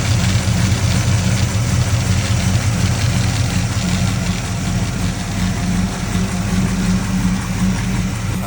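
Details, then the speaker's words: 1979 Camaro V8 after rocker arm replacement, valve covers on, just started: low steady even burble, no ticking or knocking, idle maybe a touch low and may need turning up. Normal idle. "idle might need to be turned up just a little bit."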